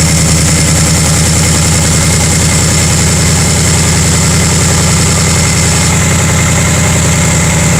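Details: 2018 Mustang GT PP2 cold start, recorded under the car: rapid, fairly regular clanking ticks about three a second over the V8 idle, revved only to 2200 rpm; owner suspects piston slap, unconfirmed.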